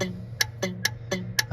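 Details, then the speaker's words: 1972 Chevy C10 with a dead horn, horn button tapped: crisp relay clicks about four a second under the truck with no horn sounding, since no power reaches the horn; relay input and output power still to be checked. "hear that relay clicking. Which could be a good thing, could be a bad thing."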